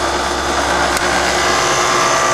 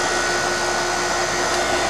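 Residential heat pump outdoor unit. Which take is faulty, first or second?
second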